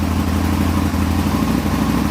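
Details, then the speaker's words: Aprilia motorcycle idling cleanly after start during throttle cable tension adjustment. A steady, even low beat with no misses or surging; normal idle. "that's idling that'll idle okay"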